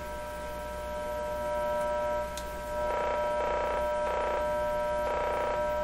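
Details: Canadian Westinghouse 981 shortwave radio after replacement of the remaining wax and paper capacitors; constant low buzzing hum with even overtones through the output; source unknown, suspected external.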